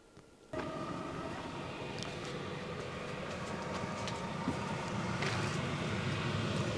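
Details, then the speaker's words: Chinese diesel heater in greenhouse, running after two replacement fuel pumps: steady even roar of combustion fan and burner with faint fuel pump tick, no exhaust smoke, putting out hot air; running normally. "you know absolutely no smoke but it's running it's putting out hot air that was the whole point of this"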